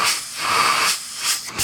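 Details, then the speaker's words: ResMed CPAP machine, just under 5 years old: breathy airflow hiss rising and falling with a thin whine on the inhale stroke that worsened over a month; owner suspects dirt or fouling on the turbine blades. "What we're working on today is a ResMed CPAP machine that's got a whine to it."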